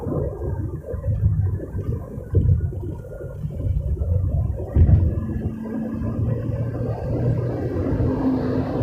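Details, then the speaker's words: Toyota Voxy at 100–120 km/h on the highway, heard inside the cabin; faint whistle or hum that comes and goes suddenly over road rumble, intermittent wind noise, source not yet found. "Ya, kami mendengar suara itu tadi, suara siulan atau dengungan. Suaranya terputus-putus, tidak terus menerus, hanya muncul dan menghilang secara tiba-tiba."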